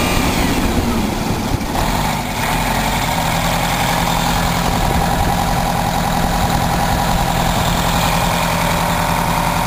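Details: 1987 Wanderlodge PT40 rear-engine 8V92TA Detroit diesel, after a cold start following about 5 months sitting, camera mic outside and overwhelmed: a deep, even roar held at steady revs with a clean, unbroken beat and no knocks or misses; healthy.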